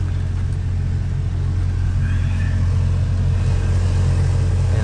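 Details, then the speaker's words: Car AC blower motor in the lower glovebox area at full speed: deep, steady drone with an uneven throb and slight vibration, from debris accumulated inside the blower making it unbalanced; the fix is cleaning it. "touch right here if you feel something a slight vibration is really noisy normally that's due to debris and stuff accumulating inside the blower motor itself and causing the blower motor to be to become unbalanced and then that's what causes that noise"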